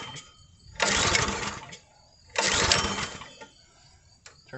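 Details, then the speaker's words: Log splitter, fuel shut off and choke on to clear flooding; two pull-start bursts sputter but won't catch; carburetor found flooding with gas in bowl, suspected stuck float or needle not seating. "Okay so this is what's going on here there's a big problem okay right down here right inside the carburetor there is gas build up down here in the bottom so the carburetor itself is flooding out"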